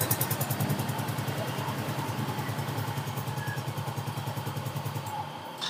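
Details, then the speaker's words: Soul GT, after reassembly with the CVT refitted: even, steady idle with no rough rattle; engine smooth and normal again after the earlier harsh, noisy idle was traced to a disintegrated camshaft bearing. "Nah, tuh ya untuk suara sudah halus ya, sudah normal lah intinya."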